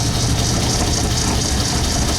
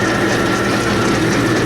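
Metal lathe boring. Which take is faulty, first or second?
first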